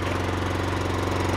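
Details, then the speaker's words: Neglected Honda Harmony II HRS216 mower after carburetor service, tune-up and cables, warm at low idle with choke off: even steady low chug, regular firing, no misses or knocks; running well. "Tôi nghĩ rằng cô gái già ở đây đang đổ xăng tốt ngay bây giờ."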